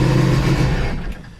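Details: 2016 Sea-Doo RXT 260 freshly rebuilt engine with a new-style carbon seal, first start: a brief strong, even low note that settles and fades with no knocks or rattles, plus a first puff of oil smoke. Runs cleanly.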